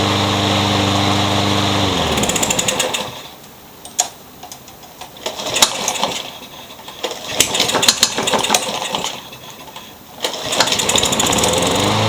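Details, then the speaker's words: Curb-found Troy-Bilt 21-inch self-propelled mower with a newer Briggs engine, blade having hit a railroad tie: runs, then chugs and sputters with sharp popping backfires; owner plans to check timing and feels the blade hitting underneath; finding: sheared flywheel key. "so probably in a future video I'll check the timing on this it feels like the blade is hitting underneath and you heard a backfire like crazy there but it does run kind of"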